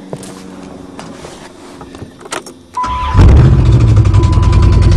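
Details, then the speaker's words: Caravan 3.3 V6, formerly strong, ruined by a borrower: cranks and catches, then fast idle with a regular knock about three per second over the running noise; engine knock, headed for scrap. "knock, knock. Yep, not good."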